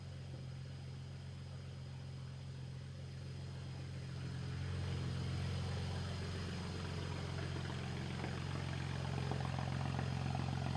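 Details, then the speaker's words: BMW at idle after new, properly gapped spark plugs: low, steady idle with a regular uneven pulse, three to four stumbles a second. The cylinder-one misfire persists, so the plugs were not the cause; a coil swap had fixed it only temporarily. Injectors are next. "Unfortunately, the cylinder one misfire is still present."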